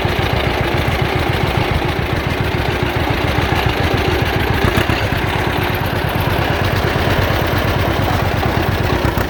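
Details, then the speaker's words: John Deere Model A two-cylinder tractor towing a loaded trailer on the road after charging system repair, with oil pressure good, still charging and temperature not rising. Slow, steady chug at about three and a half beats a second, even and unstrained; normal running under load. "We're about halfway back now. All the vitals are looking good and she's chugging right along just like it's nothing."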